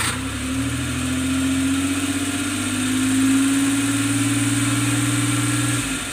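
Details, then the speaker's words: Engine start after the starter motor was repaired: the starter spins briskly and the engine catches promptly, settling into a steady even idle, so the starter repair succeeded. "So ayan guys, okay naman yung ginawa kong repair ng starter, successful naman."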